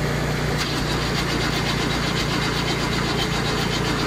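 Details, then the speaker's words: Diesel cranking with ether after battery connection was tightened, battery cable jumping from starter current: starter turns it over steadily at about four beats a second with no dragging; normal cranking. "Cranking better. It'll go. The battery cable is twerking because of the current going through it."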